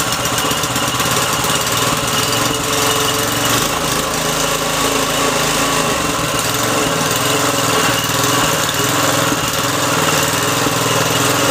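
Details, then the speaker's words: Briggs & Stratton 3.5 HP engine, little used, after freeing a jammed choke and fixing the carburettor: idles with a steady, even buzzing beat and no knocks or misses, running clean and healthy. "it's killing you still me sounds good look get all Briggs & Stratton light it's Mikey she runs awesome beautiful"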